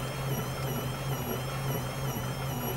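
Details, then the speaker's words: Toyota Corona Premio 7A-FE lean-burn, intermittently losing power and sneezing; electric fuel pump emits a steady low hum with wavering thin whine, dying with poor readings, needs replacement. "но вот так вот выглядят предсмертные судороги бензонасосов параметр вот такими и сам насос издает вот такую песню"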